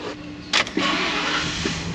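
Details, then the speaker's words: Ford Econoline E-350 service van, 5.4 L V8, with a complaint of long crank after reaching operating temperature; on this cold restart, a brief crank and it fires right up into a smooth, even idle with no stumble. "Fired right up. Beautiful. This is good. It's what we want to see."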